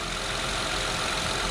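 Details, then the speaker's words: 2004 Honda Accord EX V6 (J30A4) just after replacing the spark plugs with NGK iridium plugs: a steady, smooth idle hum with no stumbles, miss or out-of-rhythm vibration. It is running cleanly and the job is done. "it's not vibrating abnormally or out of rhythm that's what you want to look for you want to look for an out of rhythm vibration or like a miss in the vibration I don't feel any of that it's all smooth"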